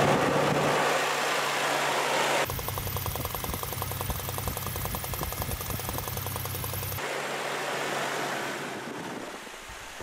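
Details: V6 petrol engine restarted after tightening a loose spark plug to torque and refitting its ignition coil, which fixed a knocking noise; now idles with a steady, even hum and no knock, though music covers the middle.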